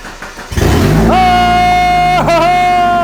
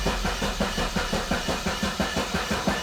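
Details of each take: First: Barn-find Mazda Miata, first start after a fuel pump relay was plugged back in, oil and coolant condition unknown: a short crank, then the engine catches and settles into a steady run; normal start. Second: $500 barn-find Mazda Miata cranked after the main fuse was replaced: steady starter cranking with no firing at all. Suspected bad old gas; no fuel is being delivered, so the fuel pump is checked next. Crank, no start.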